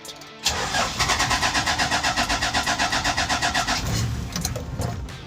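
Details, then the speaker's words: 1994 Toyota Land Cruiser inline-six diesel, no glow plug indicator: long cranking at about four pulses a second before it finally catches and stumbles; hard start from a failed glow plug relay. "See, it has a hard start."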